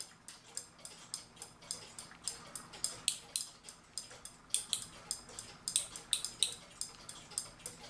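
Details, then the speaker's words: Keebler "Love Bird" clock with its winder out of the clock. The worn click spring (clicker) on the winding shaft fails to hold, so the key runs backwards. Crisp metallic ratchet clicks, two to three per second and slightly uneven. The ratchet is not holding. "So you can wind this thing, so you don't want to get too tight, but the deal is now I shouldn't be able to make it go backwards. And there we go, it's going backwards."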